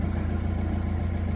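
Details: Nissan Navara NP300 diesel, being fixed for lack of power, idles with an even clatter and no misses, knocks or surges after codes were cleared; rail pressure reads somewhat high. Normal idle.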